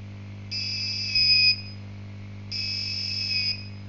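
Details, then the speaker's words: Keypad password lock project with its buzzer on a replacement jumper wire. A high shrill buzz about one second long, a one-second pause, then again. Wrong-password alarm. "Nah, jadi kalau misalnya salah, bentuknya itu seperti ini."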